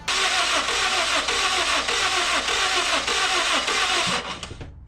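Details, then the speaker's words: Car with a B20 B-series engine, 300,000 miles on the body, overfilled with oil: the starter cranks steadily for four seconds with no firing, then drops off; hydrolock from too much oil is suspected, leaving no compression. "so when you put too much oil in it can cause something called a hydrolock and it doesn't have compression"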